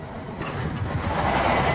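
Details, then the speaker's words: TVS Ntorq 125 scooter after running out of fuel at 27 km in a highway mileage test, restart attempt on the stand: engine catches briefly, runs rough and uneven, dies when throttle opens; fuel-starved, won't keep running. "Block finally তেল খতম হৈ গ'ল আহক মিটাৰটো দেখা দিওঁ আপোনালোকক ইয়াতে 27 kilometre চলিছে এতিয়া ইয়াতে মিছ মাৰি পিনে বন্ধ হৈ গ'ল"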